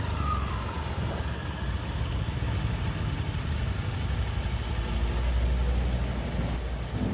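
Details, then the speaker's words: Honda Scoopy FI scooter after CVT cleaning and parts replacement: revs up and holds a smooth even drone with no belt-drive rattle, pull responsive; normal running after CVT service. "sudah halus pada sahabat semua bisa mendengarkan sendiri tarikan motor juga sudah kelihatan responsif sewaktu kita menarik gas tadi"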